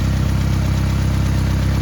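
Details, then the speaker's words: 1991-2003 Ford Escort/Mercury Tracer after fuel pump and fuel filter replacement, starting on second try: steady, even low rumble with unchanging beat, no misses or knocks; normal idle after repair. "That's a sound I haven't heard in a long time. That's what we wanted to hear."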